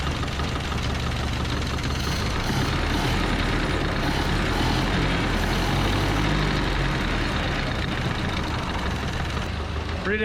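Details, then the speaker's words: 1930–31 Ford Model A coupe, barn find last tagged 1964, running after sitting about 60 years, heard with fresh exhaust fitted: low, even, quiet idle at about three firings a second, no knocks or exhaust leaks; normal smooth idle. "see how she sounds with some fresh exhaust barely hear it"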